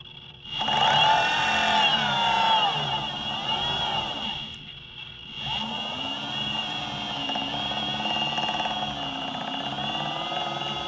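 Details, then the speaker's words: Boosted Stealth electric skateboard under a month old, just over 200 miles, rear left motor with the right wheel held: whine rising with speed and a gritty clicking that grows louder faster; owner suspects a faulty motor. "that sound does get louder and louder the faster you go"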